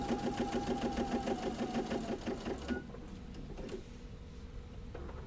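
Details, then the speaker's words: Sewing machine stitching a quarter-inch seam around a gift pot holder, with a little backstitch: rapid, even clatter of about five or six stitches a second, then the machine stops; normal, smooth stitching. "I'm just going to sew a/4 inch almost all the way around. Back stitch a little bit."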